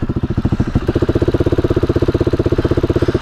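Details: KTM motorcycle just back from a tire repair, now with idle and fuel delivery problems: lumpy, uneven chugging of about a dozen thumps a second at low idle; rough idle, cause unknown.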